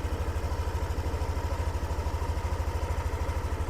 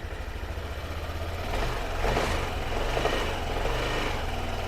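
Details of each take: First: Yamaha Aerox Connected scooter that ran out of oil, after ISC reset and battery at 11.8 V: steady, even low putter at idle about three beats a second, no ticking; quiet, healthy idle. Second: Yamaha Aerox Connected scooter, engine noisy after running out of oil, checked after coolant bleeding: revs blip from low idle with loose clattering rattle rising with revs; air filter box not yet bolted down, engine itself normal.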